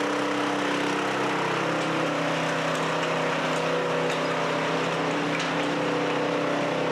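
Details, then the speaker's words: Chinese walk-behind track dumper after repairs and fresh grease, started on one pull: small petrol engine holds an even, steady drone with no stumbles or knocks while driving; now steers, dumps and runs well. "All right, there you have it, guys. How cool is that? It steers now. It dumps. It runs well."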